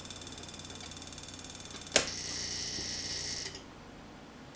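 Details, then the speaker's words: RV furnace ignition board on a bench tester, spark suppressed: fast buzzing relay ticks, a sharp snap and short hiss, then quiet; the board has a fault causing relay chatter. "that's out this boards got some kind of weird problem could hear the relay chatter"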